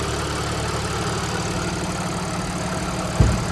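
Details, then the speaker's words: 2014 Audi S4 supercharged, after owner's repair work: smooth, steady low idle with no misses, one brief thump; check engine and TPMS lights on, likely codes from the repair; idling normally. "This sounds better already. >> It's It's idling consistently. It's idling smooth and check engine light is on and TPMS light is on."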